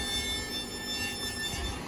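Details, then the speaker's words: Van after both CV joints were replaced, brakes untouched: thin, high-pitched metallic squeal that comes and goes while rolling slowly in reverse and forward with brakes off, stopping when brakes are applied; backing plate rubbing the rotor. "just rolling put the brakes on it would stop make noise going ahead too so let's see what it is"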